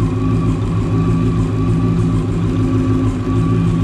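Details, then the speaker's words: 1993 Mustang GT fox body, Coyote V8 swap with Whipple supercharger, first start on base startup tune: even, lumpy V8 idle with a low steady hum, no knocks or misses; running cleanly. "That's a hell of a good startup tune because it's actually running really good."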